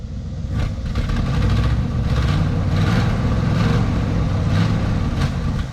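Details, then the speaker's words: 1963 Ford Fairlane 500 with a 260 V8, first start in 14 years, carbureted, fuel pump confirmed pumping: an even, smooth engine note with light throttle blips and no knocks or misses; normal running. "Oh man, she sounds good."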